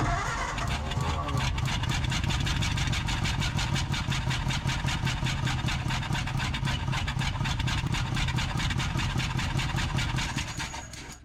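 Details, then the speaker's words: 1947 Ford Coupe flathead V8, barn-stored about 15 years, with two spark plugs out, one from a 70 PSI cylinder (others 85–100): running on six cylinders, uneven loping run with chuffs and pops; still missing, with one cylinder coughing through the carburetor. "It's definitely not running on either of those 2. So we're down to a 6-cylinder, and it still doesn't seem like it's hitting on all of them. One of them's coughing through the carburetor."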